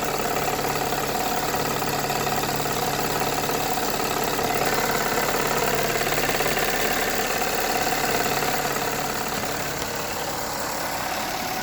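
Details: Toyota 3.3 V6 at warm idle: regular knock about three and a half per second over the engine note, from intake manifold side, appearing once warm; owner unsure whether rod knock or intake manifold leak.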